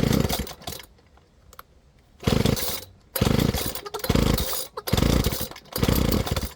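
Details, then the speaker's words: Flymo Maxi Trim 430 two-stroke strimmer just after carburettor cleaning and new fuel metering diaphragm: uneven blubbering, revs surging and dropping about once a second, smells and sounds rich before leaning the mixture. "But it smells and sounds like it's running a bit rich. So, I'm just going to start leaning out the fuel mixture."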